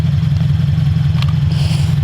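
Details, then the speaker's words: Subaru BRZ with a UEL header, restarted after a no-run episode (suspected air in fuel or vapor lock): deep, even idle with a steady low pulse and no stumbles, running normally again. "all right so okay she's running once again"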